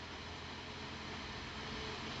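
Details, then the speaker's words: LG Inverter Linear refrigerator 4-wire fan driven at nearly 100% PWM duty (~15.8 kHz), 3.1 V from a weak-battery tester: steady rush of air over a low even hum, no rubbing or ticking; spinning fast and smoothly. "Tenemos ya casi el 100% del trabajo del ventilador. Se escucha incluso su velocidad, 3.1 voltios."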